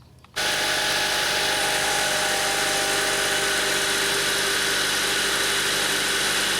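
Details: 2003 Honda Civic EX with code P1129 (MAP sensor signal high), previously rough idling, stalling and in limp mode, started cool with MAP reading 2.69 V key-on: steady, even idle hiss with no knocks, misses or surges. Idling normally.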